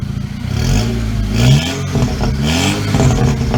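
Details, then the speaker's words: VW GTI after forged-internals rebuild with new downpipe: even idle with crisp rev blips and a little exhaust crackle on overrun, returning smoothly; check engine light on for a valve broken during reassembly; normal idle and revs. "you got a little rat sewer there little crackle crackle"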